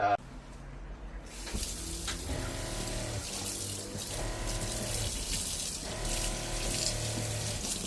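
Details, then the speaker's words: Ford Transit camper van conversion, water system test: steady stream of hot and cold water pouring evenly from the tap without sputtering or surging; supply flows normally. "I did the water testing. Hot and cold water works great."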